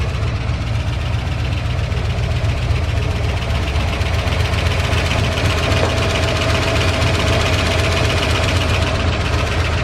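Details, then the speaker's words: 1978 Dodge D150 V8 at idle after cam, lifter and head swap: light rapid top-end ticking about four a second over steady idle; lifter tick, factory pushrods found too short for the new setup. "But that ticking and ticking and ticking has been happening ever since I did the camshaft on it."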